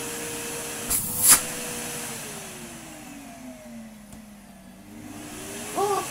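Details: Numatic Henry HVR160 vacuum with a replacement motor, after fixing an unplugged live cable at the cord reel: a couple of clicks, then the motor soft-starts, note gliding smoothly up in pitch with no grinding or rattle.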